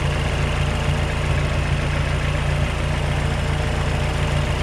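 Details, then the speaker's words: Fully built Mazdaspeed 6 on first startup, Precision Gen2 6062 dual ball bearing turbo, standalone port injection with 2200cc injectors, warming to 180 degrees: steady even low idle with smooth rumble, no knocks or ticks; quiet, slightly throaty at the back. "listen it's so quiet back here still it's a little throaty or and louder when you get on it a little bit"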